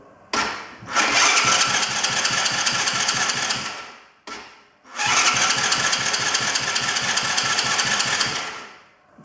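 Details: Cheap broken quad bike with battery, key and kill switch on, electric start pressed: two long bursts of even starter cranking, about four seconds each, never catching or firing; cranks but won't start.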